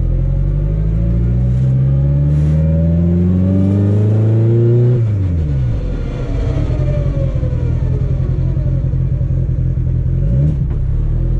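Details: Car on a test drive after CV axle and driveshaft repairs: the engine climbs smoothly through the revs, backs off and pulls again with no thumping or shudder. The drivetrain is normal with no vibration.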